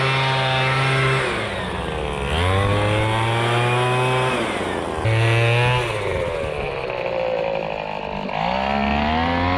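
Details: MTD Bolens BL125 two-stroke leaf blower after carburetor repair and adjustment, previously bogging and not starting: revs up and drops back several times, picking up throttle cleanly without bogging or stalling; running properly.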